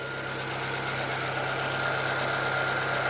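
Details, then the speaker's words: 2013 Chevrolet Celta 1.0 engine after changing poor-quality oil and filter for original, warmed up about a minute: knocking gone, smooth steady idle with only light injector ticking, no lifter tapping; normal idle. "começou a esquentar o barulho dos tiros Acabou ou seis é vale que ficou agora só o tec tec dos bicos mesmo entendeu"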